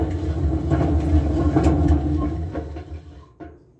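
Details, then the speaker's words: Kenmore 41740412702 top-load washer, about 20 years old, used nearly daily: deep rolling rumble with rhythmic thumps like a passing train from the drum, bearings have gone. "bearings have gone on this but to be fair this is about 20 year old machine which it's not bad it's not bad at all"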